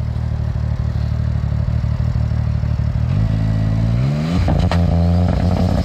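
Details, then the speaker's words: Maverick X3 of about 500hp with a bigger turbo and a head with steel valves, warmed up, launch test: it comes on boost at the line, then revs climb sharply and stutter on the rev limiter. It blew through the clutches, so clutch adjustment is needed. "okay she's alive now it was just all over the rev limiter there so you could definitely hear coming on boost on the line this time"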